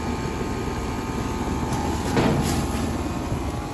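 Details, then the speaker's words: Outdoor AC unit reported running constantly, at 63°F outside: continuous rough low rumble from the compressor that doesn't sound right; compressor top not very hot, body fairly cold. Cause not confirmed; fan motor problem with high head pressure suspected. "That compressor doesn't sound right. That top's not very hot."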